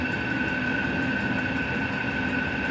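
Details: Vevor 8 kW diesel cabin heater with cast radiator heat recovery, about 10 minutes after start-up (outlet 232°): steady high whistle over the heater's roar from the combustion-air intake filter. Moving the intake outside later quieted it.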